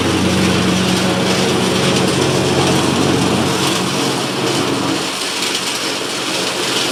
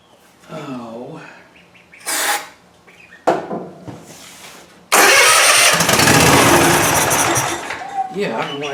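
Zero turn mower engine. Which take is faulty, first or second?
second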